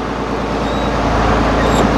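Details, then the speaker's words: Tractor after clutch release bearing replacement, first test start and clutch test: engine runs smooth and even with no whir, squeal or rumble; the new release bearing is completely quiet. "Now we can hear that the new release bearing is completely quiet."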